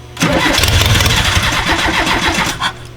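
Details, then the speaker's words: 1984 VW T3 bus with 2.5 swap, first start attempts: about 2.5 seconds of steady starter churn, no firing; throttle body active and fuel pump heard priming; clean crank. "sounded like throttle body doing things all right again oh i can hear the pump running"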